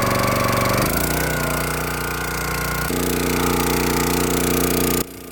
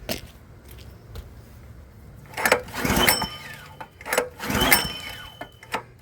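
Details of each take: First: Log splitter that had sat for years, started after maintenance and revved up while the hydraulic lever and ram are tested. Steady single-cylinder beat that labors slightly as the ram pushes, then holds even. Engine and hydraulics work normally. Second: Log splitter small engine unused for about 4 years, after cleaning and air filter check: six hard recoil pulls about every 1.5 seconds, each whirring briefly with no catch; cranks but won't start, fuel then added to carburetor.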